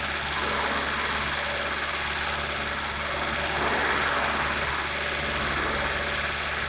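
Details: Honda Civic EU8 (EP2) with D16Y8 intake conversion on D16V1: at idle on start-up, a steady loud high-pitched hiss not pulsing with the engine; vacuum leak found around the throttle body gasket.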